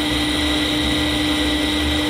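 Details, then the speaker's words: Fujitsu M2294NU 14-inch Winchester hard disk from a Paintbox running at speed, suspected bad bearing: even spin with clean constant high tones, no screech; power, protect and ready lights on, check light off. "It is fairly loud, but I'd say that sounds fine to me."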